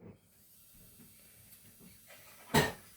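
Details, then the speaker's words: Celestron NexStar 4SE mount altitude (tilt) motor, down direction, after strip-down and oiling with sewing machine oil: very quiet even low hum, faint ticking, one sharp click, no grinding or whine; running normally. "And the motor sounds so smooth now and it's running like it should. It's actually really quiet."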